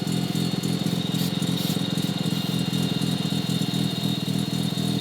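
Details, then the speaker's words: Rotary engine on stock parts with a new turbo, idling: choppy, uneven rotary idle under a steady high whistle, with air felt kicking out of the compressor inlet's outer ring. Turbo compressor inlet backflow. "You hear all that? That's air coming out of the turbo."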